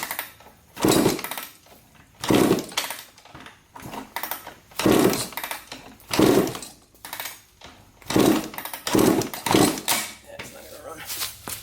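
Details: 2003 Suzuki RM125 two-stroke dirt bike, bought as non-running, red fuel in tank, kick-started before any work: irregular rough two-stroke firing bursts seconds apart, catching and dying between kicks; engine starts and runs briefly.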